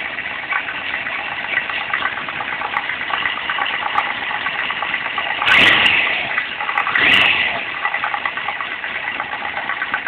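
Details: Kawasaki ZZR1100 (ZX-11) four-cylinder idling with a light, uneven knock, heard around the first cylinder when the bike is leaned to the right; cause unknown.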